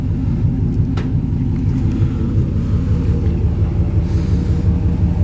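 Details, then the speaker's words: V8 after the old exhaust was cut off and replaced with short 2.5-inch turn-down pipes: deep, steady low grumble with even pulses and no ticks, leaks or rattles; a healthy idle, deeper than before. "definitely got a deeper grumble to it"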